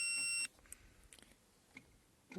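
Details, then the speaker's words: 1995 Toyota Land Cruiser that intermittently cranks without starting, fuel pump sometimes not running: relay pulled, ignition off, multimeter on continuity beeps cleanly for about half a second across the wire, confirming continuity. "تو السلك وضعينه هان، لما نلمس طرف السلك الآخر يصدر معنا صوت."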